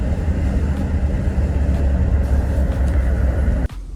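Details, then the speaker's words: Holden Caprice with a 4L60 automatic after a DIY repair restored second gear. Road test at about the speed limit: a deep, steady rumble pulls under load without slips, flares or clunks. Second gear holds firmly. "Second gear. And we're doing the speed limit already. Anyway, this thing bloody rips. Second. And it pulls out a second nicely, too."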